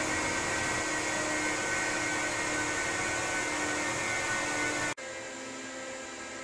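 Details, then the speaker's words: Apple Xserve salvaged from e-waste, upgraded with an SSD, after power button press: loud steady whooshing roar with faint hum, fans spinning evenly at speed before cutting back; normal fan noise at power-on. "[Music] [Music] yep that definitely sounds like a server to me"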